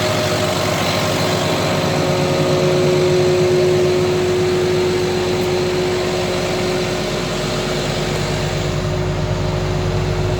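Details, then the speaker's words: CAT 966G loader, freshly overhauled 3176 diesel, after troubleshooting cured misfire and low power: steady even low rumble at constant pitch, no stumbles, RPM now rising quickly; normal running after misfire cleared. "guys Tingnan niyo yung RPM Kung nagbago dve mo yon Ang bilis na mga kasama natin nag tusok-tusok yan gwapo yan gumanda na yung andar"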